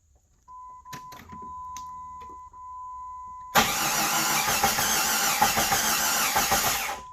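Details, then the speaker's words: 1999 Jeep Grand Cherokee, crank with a noid light on the fuel injector connector showing no pulse: steady even cranking with no firing or catch; crank no start from a suspected failed crankshaft position sensor, passenger side rear of engine. "okay that did not light up that lets me know that the uh crank position sensor is probably uh bad so i'm gonna replace that"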